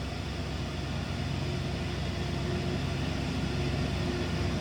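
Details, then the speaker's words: 1996 Ford F-150 Ext Cab 4x4 Eddie Bauer, 5.8 liter V8, 89,118 miles, no warning lights; steady even low rumble at idle with no knocks or misses, sounding as expected, normal idle. "much sounds as you would expect. 5.8 liter V8 power."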